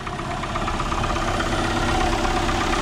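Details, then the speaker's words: Long-parked beater car being revived as a first car: engine turns over steadily but rough and loud, uneven ticking on top, worn-sounding belt; cause unclear. "so let's see what happens she lives kind of loud a little bit"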